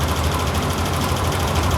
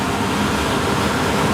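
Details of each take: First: VRF air conditioner evaporator/ventilation unit: heavy, steady low rumble with a fast fluttering beat as the whole unit shakes; a loose, worn, unbalanced blower belt. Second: VRF air-conditioner evaporator after replacing a worn belt with chewed teeth: steady even rushing air from the belt-driven blower, no more noise, knocking or shaking.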